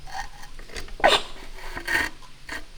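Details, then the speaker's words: 1982 Honda ATC250R, 250cc two-stroke, long stored outside and seized: crank rocked gently by breaker bar gives short gritty crunches about once a second as the piston works through a rust ridge in the bore. "It's working through that rust ridge. I'm just going back and forth really gently."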